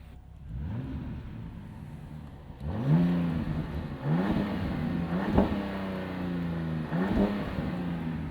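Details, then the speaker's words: 2025 Ram 1500 RHO, warmed-up Hurricane twin-turbo inline-6 in Sport mode, parked: several quick rev blips rise and fall cleanly, smooth even six-cylinder note, no rattle or hesitation; very European, BMW M3-like sound. "Yeah, I mean, it makes a good noise. Does it sound like a Ram truck? I don't think so, but it's, like I said, it's very European sounding, like a new BMW M3."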